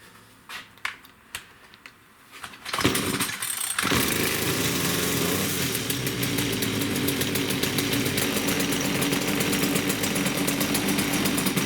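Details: STIHL FS56 trimmer after clutch repair, previously squealing with head turning: pulls over, catches and settles into a steady, even high buzz with no squeal, head not spinning at idle; normal running.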